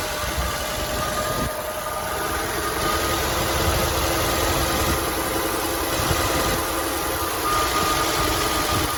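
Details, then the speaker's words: 1964 Chevrolet C20 long bed that sat 19 years, started after fixing a leaking fuel line: loud uneven idle with coarse mechanical clatter; tired, noisy, smoking engine, owner hopes worn rings will come around, cause not found. "so see if it'll start now laughs as well oh she is very noisy that's a whole lot of Bullseye"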